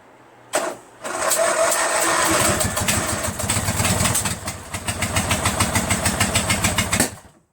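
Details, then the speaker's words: Craftsman LT1000 lawn tractor, freshly rebuilt Briggs 46 opposed twin on break-in oil, first start on choke with carb cleaner: catches, runs unevenly about six seconds with ragged beat, then dies; owner suspects no or bad gas, carburetor needs cleaning. "But I have a feeling that maybe gas is not getting in there, or that gas is so bad it won't ignite. And the only reason why it started in the beginning was it was running off the carb cleaner."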